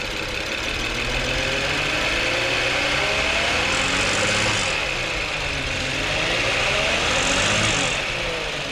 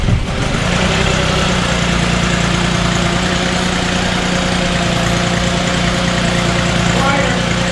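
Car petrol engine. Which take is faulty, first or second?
first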